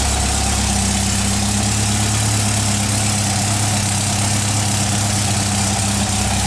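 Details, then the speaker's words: 1959 VW single cab pickup engine on cold start, briefly flooded: even steady idle with smooth low hum, no knocks, misses or rattles; quiet, healthy, charging and oil pressure fine. "there you go doesn't sound bad at all it's quiet oh he doesn't sound bad at all yeah we might go with that motor sounds good"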